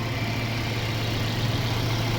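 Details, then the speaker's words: Mercedes-Benz CLA W117 after water pump replacement for coolant leak, loud water pump noise and Top Up Coolant warning: steady, even low hum at idle, previous whine gone, no ticking or knocking; normal idle. "่องดูเสียงกันนี่ครับเงียบกิ๊บเลยครับเสียงอีๆๆๆๆหายไปแล้วนะนี่ครับปั๊มน้ำตัวใหม่เนาะ"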